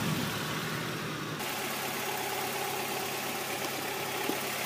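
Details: 1992 Mazda Miata NA idling during ignition timing set back to stock 10° BTDC for emissions: quiet even idle hum with no misses or knocks at steady speed; idling smoothly.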